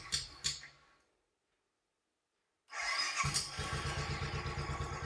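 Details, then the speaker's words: 2010 Royal Enfield Bullet Electra EFI single, 965 miles, long stored: restarts and settles to an even thump near three beats a second; selecting gear with clutch pulled drives it immediately and it stalls under heavy braking; clutch stuck solid. "I put into gear her clutch in put it into gear instantly the way a little bit round tripod before the break touches in break you're quite heavily turn stalls so back into neutral"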